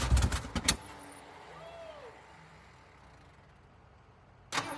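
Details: 1969 Ford F100 project truck with fresh battery and starter fluid: short burst of cranking catches then goes quiet, a second start picks up and the engine fires and begins running.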